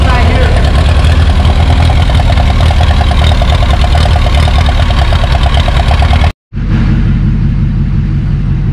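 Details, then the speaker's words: 1949 Ferguson TO20 gas tractor with points ignition, before tune-up and electronic ignition conversion, new battery: loud lumpy uneven idle; running really rich, misfiring, plugs or carburetor suspected. "running really rich something's going on with the spark plug or carb situation"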